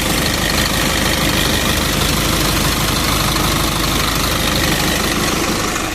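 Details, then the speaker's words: 2011 Isuzu NPR/NRR 5.2 diesel, sitting about a year, after new batteries and 2–3 minutes of hand-priming: starts right up and settles into a steady, even clattering idle with no misses or odd knocks; runs healthy. "well that was easy nothing to it just prime it up and crank it"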